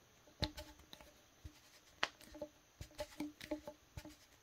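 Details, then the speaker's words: 1.5-inch split hose T-joint for Intex hoses, worst brand tested, hose threaded on by hand: irregular sharp plastic clicks and creaks; poor threads misalign or bind immediately. "it's very difficult for you to actually know that your threads are either misaligned or they're actually binding because the threads are no good and you can hear it as it threads"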